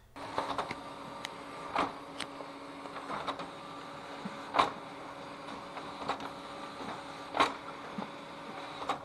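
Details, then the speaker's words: Ricoh Aficio MP2000 copier at about 350,000 copies, automatic document feeder running: soft spaced roller thumps every second or two over faint motor hum; only roller impact heard, normal operation. "You only hear the impact of the roller."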